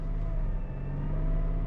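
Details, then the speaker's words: E46 BMW M3 (S54 inline six, 77,000 miles): a thin, steady whine over the engine drone appears when the clutch is released and goes away with the clutch in; it tracks engine revs; owner doubts it is the throwout bearing; source unknown. "when i release a clutch we have this strange wine now normally you would think throw out bearing since it's related to the clutch but a throw out bearing usually rattles it doesn't make this noise that actually goes with the engine as far as revving"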